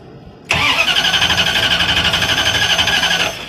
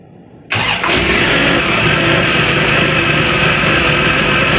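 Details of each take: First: Van that died after idling 2–3 minutes, restart attempt: sharp high-pitched hiss or whistle over the rapid cranking beat, about four pulses a second; owner suspects a vacuum line or exhaust leak, not confirmed. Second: Van with a newly installed carburetor starts right away and settles into a steady, even run with a faint belt chirp. The alternator belt is frayed but not cracked, and wobbles.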